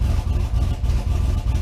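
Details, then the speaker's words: V8 warming up at idle after a repair, deep steady rumble with no misses or knocks; vacuum now holds good where it read only seven to eight before. "let her warm up a little bit I already see a difference right there so I already have good vacuum"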